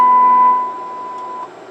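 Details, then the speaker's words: Customer's CB radio transmitting a test tone near 1 kHz, then a lower tone, heard through a monitor receiver after the fix: the low-frequency distortion is gone and modulation holds up farther into the higher frequencies, so the transmit audio is clean. "radio is hooked up we'll key the mic and you can see we no longer have that distortion at the low audio frequencies"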